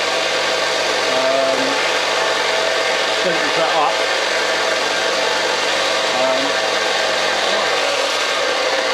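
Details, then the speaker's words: Replacement Parkside bench grinder with sanding belt, new unit run unloaded: steady, even motor hum with a light hiss and no loose rattle, less rattly than the previous unit; runs smoothly. "is not, you can hear the noise coming from that, but it's not as rattly as the other one."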